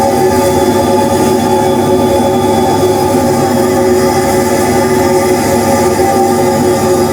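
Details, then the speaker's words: DIY siphon-nozzle waste oil burner restarted by switching on air, fuel and igniters: steady, even roar with a constant hum, no sputtering or pulsing, stable flame on its own; a bit of smoke at shutdown as air stops slowly; normal operation. "goes I mean now I can live with Grant is a bit of smoke at the end but that's just cuz the air doesn't stop instantly"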